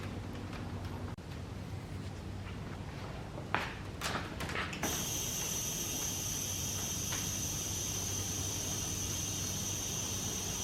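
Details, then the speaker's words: Audi B5 S4 twin-turbo, engine off, re-pressurised after clamping the passenger-side turbo inlet: handling noise, then a steady high hiss; charge pipe cracked where it mounts at a weld. "this charge pipe right here where mounts is cracked see if I can get it to zoom in right here so not the biggest crack but definitely leaking from there"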